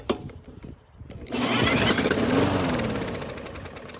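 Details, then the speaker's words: Murray mower with cover off, spun by a drill with no gasoline in the tank: it catches with a rough chug for about two seconds and dies, showing it now has spark but won't keep running. "And surprisingly, it started and ran for a very brief moment, but at least it shows we now have a spark."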